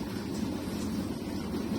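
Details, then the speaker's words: Arçelik 6343 dishwasher, after fixing a loud 'vuuuv' noise it made even when switched off: it now runs a normal wash empty, with a steady low pump hum and even water swirl. "Şu an normal yıkamaya geçti. Evet arkadaşlar çok şükür makinemiz oldu. Şu an normal çalışma düzenine geçti şu an ama içi boş."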